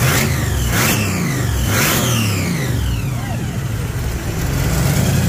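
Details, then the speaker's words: 3rd-gen Camaro IROC Z28, blown 383 stroker small block with dual 750 double-pumper Holleys and a new cam and lifters; it had been backfiring and would not idle. After the throttle linkage was reset it blips up and settles cleanly, with no popping or stumble. "yay it's running good now are you so excited I am the is more excited than you are yeah I know been waiting to hear it run right but we went ahead and undid the linkage real quick and moved it and now"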